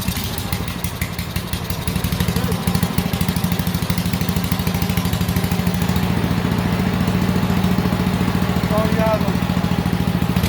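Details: Honda GXV160 single-cylinder engine on a ventilator build, started after ignition lead plugged firmly onto the coil, choke working, air cleaner not yet fitted; fast steady beat at full throttle without stumbling: normal running.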